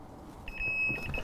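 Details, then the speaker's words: The receiver of a Bosch GLL3-300 360° red three-plane line laser gives a high steady beep of about 2.7 kHz that pulses irregularly as it hunts for the laser line on a wall, then holds once aligned and turns green. Normal receiver beeping. "then you can hear it beeping so then you can see as soon as I got the line perfect it goes green"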